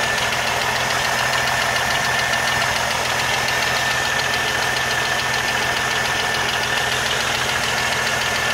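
Fast, light ticking, roughly two per second, sits over a steady idle with plenty of hiss; a top-end tick, source unconfirmed.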